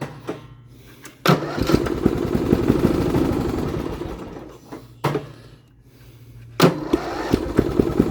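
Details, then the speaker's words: Lawn-Boy XT13-38 tractor engine, seafoam in fuel, no throttle control: fires and runs a few seconds then dies whenever the drive pedal is released, restarts and dies again; owner suspects a bad safety switch, cause unconfirmed. "so this thing dies no matter what when you let off on the pedal so one of the switches has to be bad"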